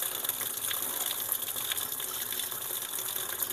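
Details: Sanyo washing machine with no clock display: even splashing pour into the tub that keeps running, the machine won't wash or spin and the fill never shuts off.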